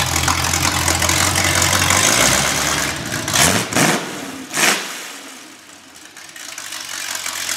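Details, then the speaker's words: Rebuilt, already broken-in small-block Chevy for a 1974 Corvette, roughly double its original 160 hp, run on an engine test stand: it fires, takes a couple of sharp revs, then drops to a steady, even idle. Normal start and idle. "so Nate's just going to fire this engine up and you can see what it what it looks and sounds like thank you"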